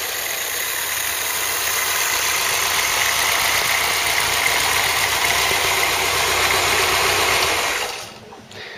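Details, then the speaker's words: Ford Cortina Mk3 with newly rebuilt 2.0 Pinto engine, after slightly rotating the distributor to improve the sound: even steady idle with light regular tick, no misses or hunting; normal idle. "I just rotate slightly on the distributor here we're going to turn it till we get a better sound just for now and then we'll do some more high reps and just see what we get so straight in there sound good alright and here we go"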